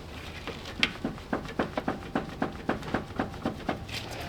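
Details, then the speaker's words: NSX manual steering rack, car raised, front passenger wheel off and turned, tie rod rocked by hand: sharp hollow clunks three to four times a second; no outer tie-rod play, worn rack needing rebuild. "so there's no play in the outer ball of the tie rod ends and the inner tie right in we can check as soon as we pull that boot down but that is the symptom of the manual steering rack needed to be rebuilt"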